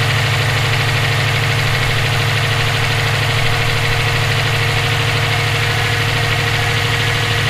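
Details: EJ257 engine knocking at idle for about 17k miles since purchase; regular knock, roughly three per second, over the engine note. Owner suspects rod knock, spun bearing or valve lash needing adjustment; unconfirmed.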